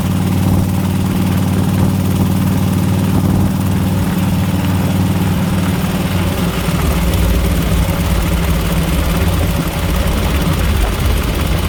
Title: what is that, horrible ticking sound? 2004 flhtcuise 103